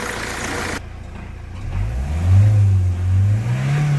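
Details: Hyundai Creta diesel after engine rework and timing reset, previously knocking with white smoke and starting trouble after another mechanic's engine work; picks up cleanly from low idle into smooth, even rev with steady rising tone, no knock; normal revving.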